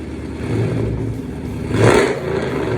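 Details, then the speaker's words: 2009 Dodge Challenger R/T 5.7 Hemi rebuilt after engine fire, first start: catches and settles into a loud, deep steady idle with one brief rev and no knocking; V8 runs healthy. "all right you can hear that the challenger is alive we're gonna go for the first test drive this thing is loud too"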